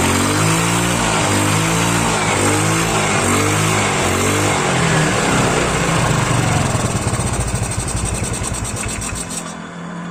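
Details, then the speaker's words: Yamaha Mio automatic scooter after repair of a badly worn, wobbling kick-starter boss: idle rises and falls cleanly through throttle blips, no knocks; the CVT area that was previously rough no longer makes noise, now running smooth. "Bunyinya sudah halus. Pada bagian CVT itu tidak berbunyi lagi, karena sebelumnya motor ini pada bagian CVT itu kasar."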